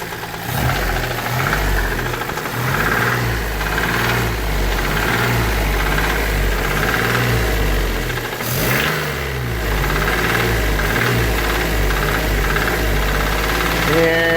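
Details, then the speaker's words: Geo Metro small petrol engine idling roughly with a dull, steady knock deep in the block. Rod knock per the title; main bearings suspected, unconfirmed. The engine is to be swapped out. "I think the mains are a little rough here. It kind of makes you want to just run it and see how far it'll go."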